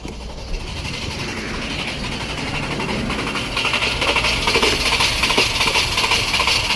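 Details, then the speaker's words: 2011 Jeep Grand Cherokee 3.6L with used engine and harness cranks steadily but won't start; with key turned, tester shows no power at ignition coil circuit, ground suspected; codes P0202, P2303, P2311, P2314. "we have no power. Looks like we have no power. I wonder if we got a ground."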